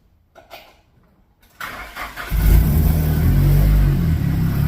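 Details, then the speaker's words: Nissan 180sx SR20 after replacing the power steering pump and adding fluid: engine cranks, catches and settles to a steady idle with no whine or groan; new pump normal, fluid to be flushed of shavings. "So it felt good, and it wasn't making any noise."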